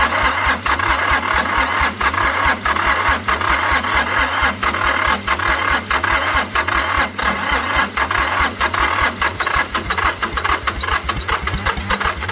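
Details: Long-abandoned International 284/285 4x4 diesel tractor, primed and fuelled, with glow plugs heating and cylinders previously filled with ATF: cranking at about ninety beats a minute with a few half firings, never running. Owner suspects ATF; it later starts, smoking white and black.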